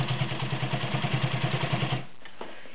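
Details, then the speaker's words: White Model 618B all-metal sewing machine with 1.3 amp motor sewing 6 layers of denim with a size 18 needle: rapid, even stitching about seven beats a second, motor working a little harder, perfect stitch, then stops. "can hear it working a little harder on this. Beautiful perfect stitch on 6 layers of denim."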